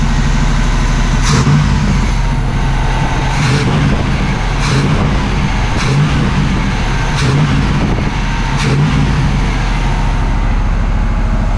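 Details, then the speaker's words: Abandoned 1979 Camaro Z28 V8 after carb rebuild and tune-up with new plugs and wires, not yet warmed up: deep rumble with quick throttle blips rising and dropping cleanly, firing evenly on all eight; earlier dying was a near-empty gas tank. "don't worry y'all I figured it out the gas stand's almost empty just like that y'all tuned up sounds like it's running on all eight"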